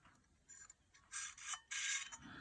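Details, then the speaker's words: Hard disk from an IBM PS/2 Model 25, opened after failing diagnostics: short raspy seek chatter over a quiet spinning motor; the heads scrape the platters after a head crash, with aluminium shards inside. "yep oh yeah looks like uh some sort of a head crash you can actually hear it scraping on plus look at all the look at all the aluminum shards"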